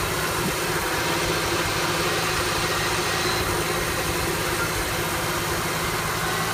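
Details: 1974 F100 V8 with an EFI swap: the idle beat wanders and stumbles instead of holding an even rhythm, with a shaky low rumble throughout; a rough idle, cause unknown.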